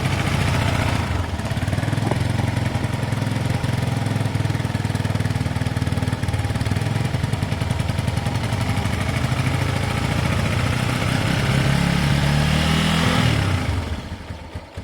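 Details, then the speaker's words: Motorcycle bought for a £200 challenge, unused for about two years, cold-started and idling fast on choke; steady, even single-cylinder beat with no knocks or misses, nice note. Normal cold idle on choke, left to warm and circulate oil. "so I remember the chokes on in a minute you'll be able to turn the choke off and it should either be power I think it sounds good it's got a really nice note"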